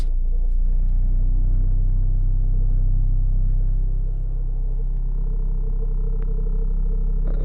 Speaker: look guys if I put her in neutral the vibration or that sound is gonna go away you hear that if I put it in drive that the vibration is Gonna Come Back in the whole car the whole car is vibrating